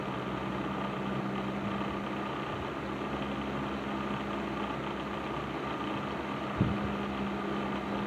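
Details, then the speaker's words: Patton 12" box fan, later model with black Fasco motor, after servicing, started on low speed; steady low hum with faint even rattle, reduced from before; normal running. "So yeah, I think this fan is right where it needs to be now. Um, fan Fan is still a little rattly, but not as bad as it was before."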